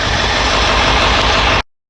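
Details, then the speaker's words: 1999 Ford F350 7.3L diesel, first start after injector cup replacement, slightly hydrolocked beforehand and heavily smoking: steady, even diesel clatter at idle with no stumbling or misfire, then a clean shutoff; healthy. "holy poop did you get that yeah nice so the smoke coming out let that run till it clears"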